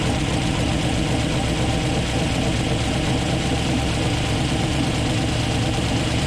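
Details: 1962 Ford F-350 V8, off the road 24 years, engine rebuilt: chugging, uneven, lumpy low idle rumble that never steadies; rough idle, cause unclear.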